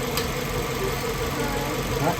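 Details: 2005 Kia Spectra 2.0L right after timing belt, water pump and drive belt replacement: starts right up and settles into a smooth, even idle with no knocks or ticks; sounds healthy.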